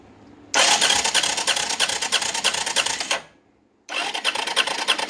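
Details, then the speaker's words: Arctic Cat 375 automatic 4x4 ATV after starter replacement: harsh, rattling whir on cranking with a ragged beat about three per second, stopping and restarting; owner suspects a stripped or skipped starter gear, not confirmed. "It works. Kind of sounds like crap though. Like maybe somebody stripped the gear. Maybe there's a bad part in that gear."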